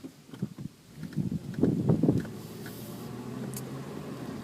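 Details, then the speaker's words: 1999 Toyota Solara SE V6 (1MZ-FE 3.0, 4-speed automatic, about 111k miles): a few soft irregular clicks from the front left brake when the pedal is pressed, over quiet idle; persists after three shop visits, cause unknown. "the front left brake, when you step on it, it makes that kind of clicking sound."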